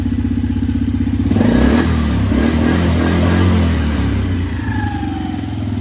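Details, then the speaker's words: 2017 Suzuki QuadSport Z90 90cc four-stroke ATV after carburettor clean and fuel drain: even putter at idle, picks up on a blip, settles back to a much smoother idle; normal idle. "ripper she's idling so much more smoother now"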